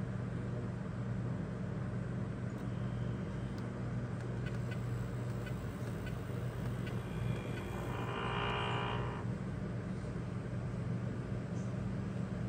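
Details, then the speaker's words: Rheem hybrid heat-pump water heater compressor: a steady, fridge-like low hum, even and unbroken, heard outdoors. This is normal operation. "and it's running now you can hear it come on it sounds like a refrigerator or a freezer if you're standing next to it it's not extremely noisy"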